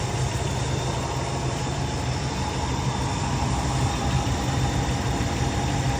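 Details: 2008 Dodge Durango HEMI V8 at idle: steady, even low rumble with no stumble or skip in the beat, running smooth and healthy, in a video on fixing a cylinder 4 misfire (P0304) and MDS cylinder deactivation fault.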